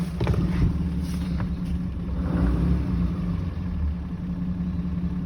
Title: Rough Idle